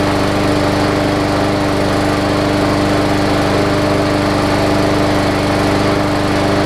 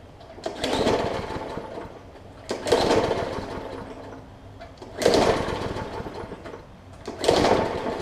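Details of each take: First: Hyper Tough Briggs and Stratton OHV push mower with plastic carb, running on old fuel that had water in it after sitting over winter; after burning through the water it runs a steady, even drone with constant pitch and no stumbles or surging. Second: Briggs & Stratton OHV plastic-carburetor push mower left unstarted over winter catches in short sputtering bursts about every two and a half seconds, popping and dying back as it is pulled; water in the fuel and likely on the spark plug.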